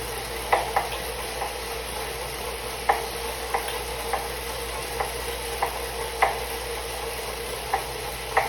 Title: Suito-T Elite knocking noise